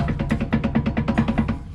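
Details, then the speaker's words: Commercial vehicle air disc brake clunk test, brakes released with the rear axle jacked up: the caliper rocked by hand gives quick, light, even clunks, showing normal running clearance of about a nickel's thickness. "I'm going to jump back to the rear axle quick and show you the rest of these they have a similar clunk right here"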